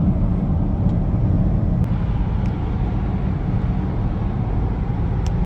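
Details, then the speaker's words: Mercedes ML350 road test after maintenance, AC turned down: even tire and road rumble at steady speed, no clunks, knocks or hums over bumps from axles, suspension, control arms or tires; normal road noise. "don't hear any noises from the axles from the suspension from the control arms from the tires i don't hear anything"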